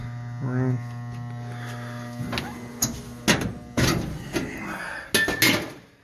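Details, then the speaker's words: Garage furnace that only hums loudly while the fan won't kick on: a steady low electrical hum with no air rush building, then handling clunks. The blower motor is tight and seized. Seized blower motor. "feel it yeah Motors tight second motor in two days"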